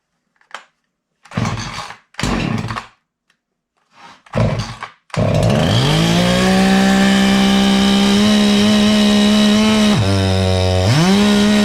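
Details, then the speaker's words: Husqvarna 350 chainsaw whose bar got pinched; after a few pull-start tugs it screams at steady full revs, dipping briefly and surging back, still revving with the chain brake on, because the throttle is stuck wide open. "so just in that quick demonstration you can see that the saw is constantly spinning it's spinning uh at Full Throttle and when I hit the Chain break you can still hear the motor revving up at full speed"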